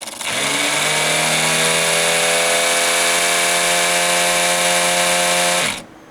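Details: PC liquid cooling pump suddenly went wild: loud steady buzzing drone with harsh rasp, then cuts out; failing pump, fixed by replacing pump, some hoses and noisy fans.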